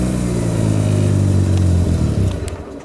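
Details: Mazda RX-7 rotary with a hard-start problem, restarted after plugs were pulled and a paper test showed no fuel, water or oil, raw fuel smell: lumpy revving that surges, sags and dies; rough running, cause unconfirmed.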